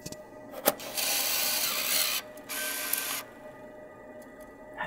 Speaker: So what I'm going to do is I'll put this tape in and listen to it grab and pull it